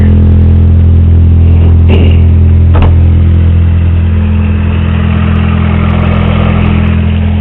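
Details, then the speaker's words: 1984 Honda Accord with a straight-pipe exhaust, engine revving with a quick regular clatter of about four clicks a second over a low drone and heavy vibration; it loses power while driving, idle is fine; owner suspects bad timing. "i think it's my timing because it's clicking really bad"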